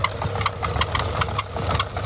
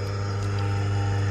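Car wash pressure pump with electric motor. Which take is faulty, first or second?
first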